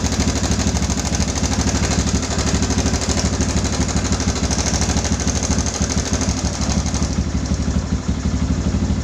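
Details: Yamaha Bison modified as a bobber, after adjusting the cam chain tensioner for a rattling noise: even single-cylinder idle thump with no metallic chatter, a normal idle. The noise later returned after running a while.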